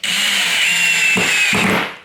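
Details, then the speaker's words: Drill driver (not impact driver) driving a 30 mm screw with downward pressure: steady high motor whine, then two short rasping bursts as the bit slips out of the screw head; cam-out. "so you can hear that little bit of a slipping that was happening there and i did have a bit of pressure coming down"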